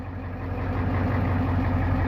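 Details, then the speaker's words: 1989 Ford F350 7.3L IDI diesel, first start after purchase: deep, steady clatter at idle with an even rhythm, no misses; fuel pressure looks good after adding diesel to the front tank purged air from the line. Normal idle. "I mean fuel pressure looks good obviously I got to check a couple other things now that we're idling"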